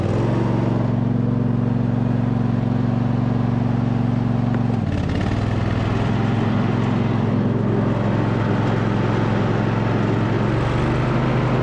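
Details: 2007 MTD/White Outdoors 54in zero-turn mower, deck rebuilt with new spindle bearings, spindle covers off, first engagement test: steady even hum shifting smoothly on engagement, no grinding or rumble; normal running.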